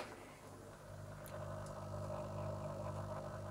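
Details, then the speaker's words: Fluval 205 external aquarium filter in cabinet: constant low droning hum, steady pitch, previously quiet, vibration carried through glass and cabinet; cause unknown. "у меня рядом с диваном стоит аквариум на котором я сплю и реально я услышу как гудит фильтр fluval 205 которые они тут в тумбе"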